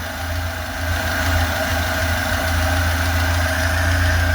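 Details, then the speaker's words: Lada 2104 carburettor engine with bad fuel pump, fuel fed directly: runs without choke with a steady, even idle and smooth low rumble, no misses or stumbles; running cleanly. "okay it's without the choke she's still running let's put more guessing in okay she's running really good I can't believe it"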